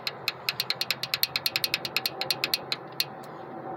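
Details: Chevy 5.3 V8 at idle with code P0307: sharp, uneven ticking about three times a second over a faint idle, a cylinder 7 misfire.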